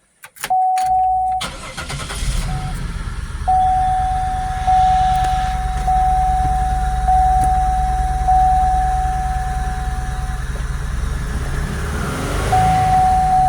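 Starts, then settles into an idle with an uneven, lumpy beat under a chime; sounds like a misfire at idle.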